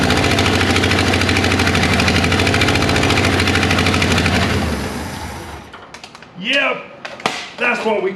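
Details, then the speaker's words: 1961 Ford Unibody truck with 1968 Mustang 302 V8 and C4 automatic, first run after 29 years, burning off Marvel Mystery Oil and smoking: loud V8 chugs unevenly about five seconds then dies; rough running after long storage. "got it warm enough to burn off all that Marvel Mystery Oil went through I don't know maybe six ounces of fuel and yeah I mean sounds like something's been sitting forever we're gonna call that a win"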